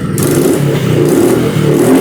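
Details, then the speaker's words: Royal Enfield Classic 350 BS6 J-series, 32,966 km, after fuel injector replacement for misfiring (E20 ethanol petrol deposits blamed): clean, even exhaust note rising and falling smoothly with throttle, no missed beats; problem fully solved. "अभी देख रहे हैं inductor replace किए। Bike का Excel में start हो रहा है। प्रॉब्लम हमारा 100% सॉर्ट आउट हुआ है।"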